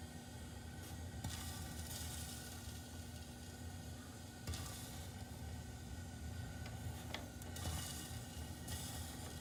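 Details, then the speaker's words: Rheem gas water heater with a plugged flame arrestor inlet screen: the burner is starved of air, a soft steady rush with sharp hissing sizzles every few seconds as water drips onto it from the leaking tank. "it's just plain not getting enough air and it is getting some it's just not getting enough and you can hear that water dripping inside there"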